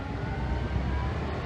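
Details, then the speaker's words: Ford F-150 running with AC on, throttle blipped after some refrigerant released (low side under 200): thin steady whine from the AC compressor over engine rumble; new compressor and expansion valve on hand. "i still hear the whining on the uh on the compressor"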